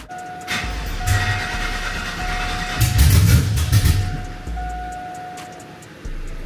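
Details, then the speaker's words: Truck with freshly swapped LQ9 6.0L V8 (LS3 heads, TBSS intake, long-tube headers), first start after months sitting: starter churns in steady bursts but never fires; owner suspects battery dead from sitting. Crank no-start. "won't you start? We're almost there, guys. Uh seems like the battery's just dead from sitting so long."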